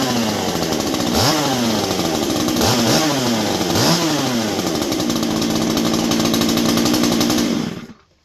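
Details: Stihl MS201T chainsaw, about ten years old, heavily used, stock, before muffler swap. Three crisp throttle blips that rise and fall cleanly, then an even, steady buzz before shutdown; running healthy.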